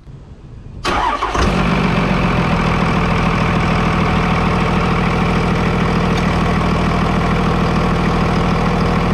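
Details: 5.9 Cummins diesel with stock turbo, startup before removing the turbo silencer ring: cranks briefly, fires at once and settles into a smooth, even diesel clatter at idle with no knocks or misfires; a healthy startup.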